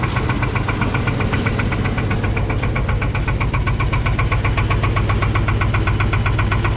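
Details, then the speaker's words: 1984 Chevrolet K30 1-ton 454 big block V8 revived after sitting years, at idle with about 7.5 psi oil pressure: sharp steady knock about four a second, rod knock; engine judged cooked. "to the rod knocking not quite fast enough you guys want to hear it if you can't right now well we're at you know 7 and2 lbs of oil pressure at idle"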